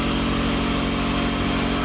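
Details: Newly installed Quincy 5hp two-stage air compressor on thin rubber-cork pads, running: steady, even pumping hum with a regular low throb, no knocks or rattles; running healthy.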